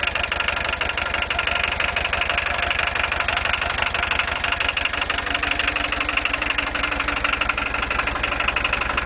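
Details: VW 1.6 TD diesel idling with a hard, even clatter about three times a second; the owner asks whether it knocks too much, and no fault is identified.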